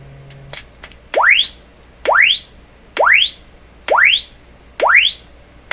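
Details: RCA Victor 67V1 console radio audio amplifier, before replacing its paper audio capacitors: signal-generator tone sweeps rising low to high about once a second through a speaker out of its cabinet, with no buzz or rattle; normal response.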